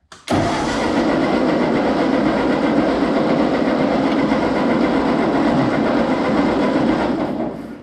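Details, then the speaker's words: Ford 8N tractor after reassembly, with choke and clutch in: starter cranks the engine steadily for about seven seconds with no firing at all. No spark from the ignition, worse than before, when it would sputter. Owner then adjusts the contact point electrode. "not what i was expecting i was expecting something yeah we have no ignition at all now so i made it worse incredibly"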